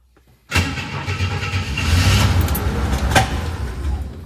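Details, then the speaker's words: 1962 Chevy II with freshly rebuilt carb, no fuel pressure, dead fuel pump and leaking tank: cranks and fires on ether, a rough uneven low rumble that only keeps catching on starting fluid. No fuel delivery. "but we are cranking so we got that going for us Thunder to run on starting fluid it's acting like we're not getting any fuel"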